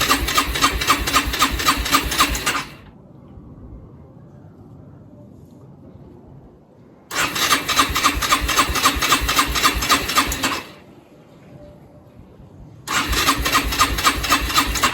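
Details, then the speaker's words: Rieju RS2 Matrix Pro 125cc four-stroke motorcycle, stored over 10 years, new fuel lines and valve, backup battery, choke on: three bursts of fast, even cranking at about four turns a second, with no firing; cranks but won't start. "Alright guys, so that's where she sits, and it's really been disappointing. We've not been able to get my Rieju 125 started."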